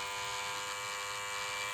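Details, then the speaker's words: Hair clipper running after lubrication: steady even buzz, no rattle or grinding, noise reduced by lubricating; normal running. "E ó, até o ruído melhorou porque está lubrificado. E vamos lubricar a lâmina também, ó. Diminui até o ruído,"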